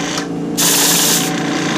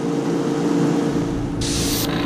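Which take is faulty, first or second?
first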